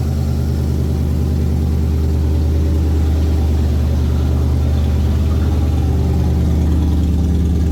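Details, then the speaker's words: 1981 Ford Bronco 351 V8 first running after no-start: timing confirmed, fuel added, carb refitted on homemade adapter plate after backfire lifted it; deep, even burbling idle, no misses or knocks, through small resonator muffler and large tailpipe. "Well, after a lot of stuffing around, success. The Bronco runs. The 351's managed to fire up."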